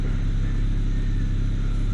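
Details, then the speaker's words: BMW 335i E92 N54, about 94–95k km with old injectors, idling after misfire codes were cleared. Deep steady rumble, rpm reasonably stable with only an occasional pop; no codes, spark plugs to be rechecked. Essentially a normal idle. "it's just a little bit lit by idol so there's no codes and it now if we just look at his rpm it's reasonably stable and it's just got a bit of a pop every now and again"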